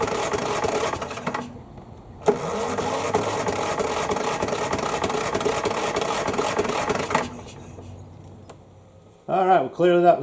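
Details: Craftsman mower, model 917374552, won't start; 60 psi compression, tried outdoors with air cleaner removed: starter turns engine over steadily with uneven compression pulses but it never catches; carburetor suspected next.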